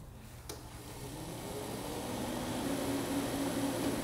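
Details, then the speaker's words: Car engine cooling fan commanded on through the fan relay active test of an Ancel X7 bi-directional OBD2 scanner. Quiet whir climbing smoothly as the fan spins up, with no grinding or rattle; the fan and bearing sound fine. "हम system selection engine control module active test gun fan relay में जा सकते हैं हम आगे बढ़ सकते हैं और फैन रिले चला सकते हैं"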